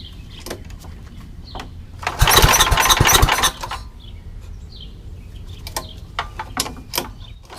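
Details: Old rusty Tecumseh 10 hp HM100 single-cylinder engine after a genuine Tecumseh carburetor replaced a knock-off one (knock-off carb or its internal corrosion blamed for poor running), muffler refitted: short loud rev burst, then steady low chug; runs beautifully.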